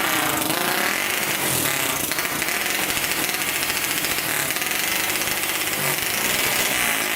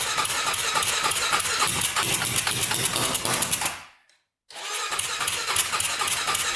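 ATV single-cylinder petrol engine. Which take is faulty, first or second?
second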